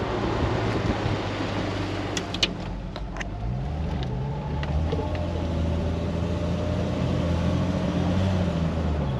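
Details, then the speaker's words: 1999 Jeep Wrangler TJ driving after the Dana 35 rear diff rebuild: road and engine tone rise and fall evenly as it shifts through the gears, with no whine, howl or clunk. Normal, quiet rear differential. "Dude, she sounds good. Oh. Remember, we couldn't even get to the stop sign and she sounded awful last time."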